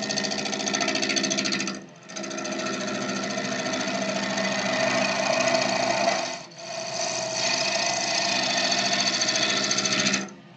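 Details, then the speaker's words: Woodturning a pot blank at turned-down lathe speed with a 1/2 inch bowl gouge; fast uneven rattling chatter as the gouge bounces on a blank not yet round, easing briefly between passes. "And you can hear it bouncing around, so I know it's not round yet."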